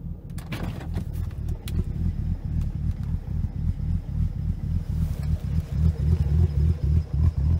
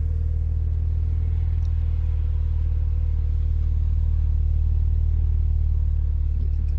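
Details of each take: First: BMW Z4 35i (N54 engine) before repair, reduced power warning on: uneven lumpy idle with irregular low thumps about three to four a second, car visibly shaking and worsening the longer it sits; rough idle, Vanos actuators suspected. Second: BMW Z4 35i (N54 engine, as in 335i) at idle after cleaning the VANOS actuators and an oil change, previously rough idle and reduced power: even smooth low hum, steady and flat, no stumble or misfire.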